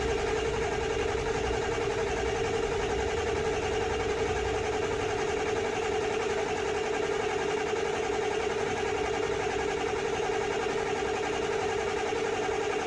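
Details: High-mileage Ford 7.3L Powerstroke diesel just rebuilt with new turbo and injectors, first start after air in high-pressure oil: steady low clatter at even idle with constant hum, no stumbles or knocks; runs normally.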